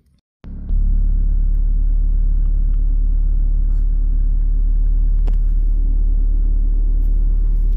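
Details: 1997 Mitsubishi Lancer/Mirage CE 4G93 with intermittent crank no start: starter turns engine steadily at about four beats a second for seven seconds, but it never fires.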